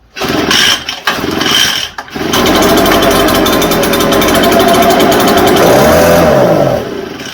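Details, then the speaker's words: Echo TB580T two-stroke blower with old, stinky fuel: after a few pulls it catches, runs ragged, then sags and dies; owner suspects a rotted fuel line in the tank, as it seems to pump much fuel back. "It sounds like it's pulling fuel, but I hear it pumping a lot back into the tank."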